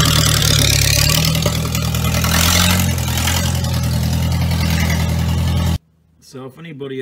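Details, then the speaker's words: Traditional Ford hot rod ("Doris") brought out of the shed after storage: old engine fires straight up into a loud, even idle with a steady beat, no misses or knocks; normal healthy cold start. "Let's move this old girl out so I can get to the back. You listen to this old girl fire straight up. Nothing like an old banger."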